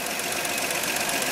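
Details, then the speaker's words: GMC step side with a 305 V6 and two-barrel carburetor, running warm with both rocker covers off: quick, crisp, regular rocker-arm ticking, as it should sound. Silence would mean the valves are over-tightened and hanging open. Normal valve train clicking. "the engine's running here how it's clicking guess what that's how it's supposed to sound if there is no noise coming from those rocker arms the valves are tighten down too much they are hanging open"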